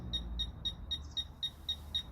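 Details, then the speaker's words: Fisher F-Pulse pinpointer in an air test with no obstacles: clean high-pitched beeps about four per second, quickening as the probe nears the target; normal proximity response. "vous entendez les bips devient de plus en plus rapidement"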